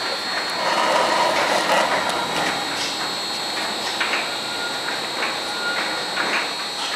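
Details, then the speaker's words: Vulcan BAR-312 fine screen during factory testing, in hand mode after switching from low to high speed: continuous mechanical clatter with loosely repeating clicks about three a second over a steady run; normal high-speed running. "I'll now switch it over to high foreign status went from high speed our indication of high speed we are still in hand"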